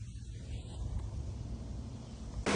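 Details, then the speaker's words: Jeep Grand Cherokee after replacing the serpentine belt tensioner and pulley, with the old belt kept on: a steady low engine hum and no chirp or squeal. The earlier squeaking is gone; a power steering fluid leak was found separately. "guess we got success. No more noise. So we're good on that one."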